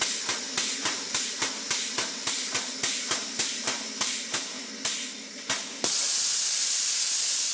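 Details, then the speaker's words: Second model 12-inch Southworth steam pump with temporary threaded exhaust union, tested at raised steam pressure: regular puffs about 3.5 a second, then a sudden loud steady hiss as the silicone tubing pushed onto the tap's threaded end leaks steam. "Note to self, it's not a good idea to turn up the steam pressure when the steam connection is just a piece of silicone rubber tubing pushed onto the threaded end of the tap."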